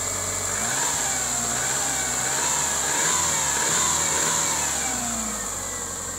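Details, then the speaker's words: 1997 Subaru Impreza Outback Sport with reported overheating (possible head gasket), started after cleaning spark plug terminals: steady, even idle swelling smoothly on a blip, no knocks or misses; normal idle and rev. "Nothing wrong with the sound. All right, well, we're not gonna run it too long because apparently it overheats, but well, we gotta run it, huh?"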